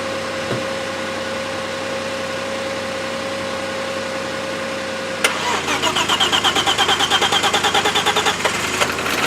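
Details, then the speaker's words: Audi A6 2.7 Bi-Turbo started after two years standing, battery jump-started: catches about five seconds in, then uneven lumpy pulse near three beats a second, rough cold idle settling down. "yes they'll settle down well it's running"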